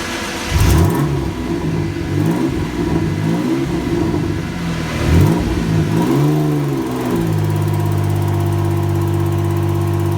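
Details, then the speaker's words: Pontiac GTO race car on base dyno run, factory ECU and injectors: engine under load and boost with raspy, lawnmower-like chuff from an exhaust leak at a manifold flange not machined flat where it meets the head. "I had an exhaust leak which I didn't know too much of you could just hear it and some earlier pictures but yeah it wasn't really until it started coming on under load under booze that you could hear it quite quite layout sounds a little bit like a lawn mower"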